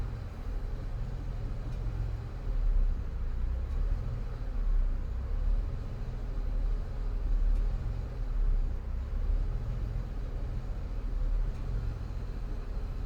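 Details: 2002 Ford Escape 3.0 V6, 217k miles: low drone swelling and sagging every two seconds as idle hunts, worse when warm, sometimes stalls; oil pressure light flickers on RPM dips. IAC and throttle body cleaned, oil pressure sender replaced, problem persists; cause unknown.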